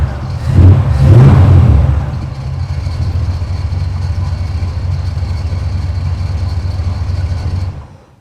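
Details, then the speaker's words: 1947 Ford street rod V8 after fixing a miss from fouled plugs: blips up, then drops to a smooth, even idle with a steady low burble and no misses before shutting off; normal running. "There aren't enough O's in smooth to describe how that's running now, so that's good."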